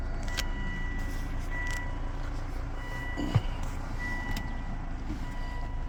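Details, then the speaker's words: Volvo after a bad, smoking turbo was fixed: even, steady engine rumble with no knocking, whistling or grinding and a faint chime; no check engine light, an oil light flicker was suspected; runs smooth and healthy. "Sounds good. Making any any noise. Check engine light."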